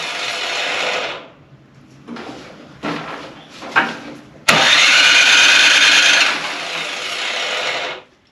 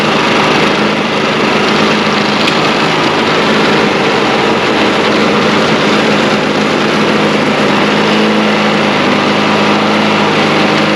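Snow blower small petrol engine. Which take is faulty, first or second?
first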